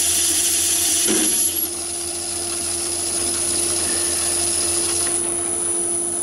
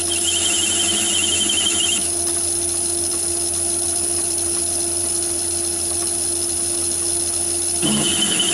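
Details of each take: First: Myford ML7 lathe with 100mm (four-inch) chuck, cutting about 100 thou by hand: steady even hum and high whine with no rattle or judder, no vibration, excellent finish, no chatter. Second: Myford ML7 lathe with 125mm chuck, heavy cut on aluminium about 50–60 thou: high pulsing squeal over steady motor whine, chatter believed from heavy chuck overhang, radial free-play and spindle thread movement.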